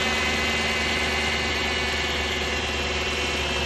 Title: What is that whining sound -2011 Dodge Durango Hemi, 115k miles